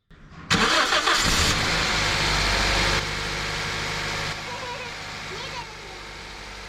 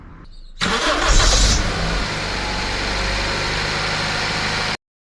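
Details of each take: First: Car engine starts after rubbing grease on the rib side of a squeaking, slipping serpentine belt; cranks, catches and settles into steady idle with no belt squeal or chirp. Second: Car engine starting; catches, then a sharp high squeal for about half a second before settling into steady idle; belt slipping, possibly old belt, pulley misalignment or automatic tensioner, fixed by greasing the belt rib side.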